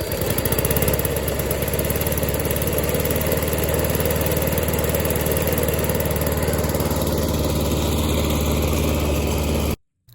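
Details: Old small single-cylinder lawn mower engine after pressure washing and carburetor cleaning: runs steady and even at a fast idle with a smooth regular beat, runs clean. Normal running.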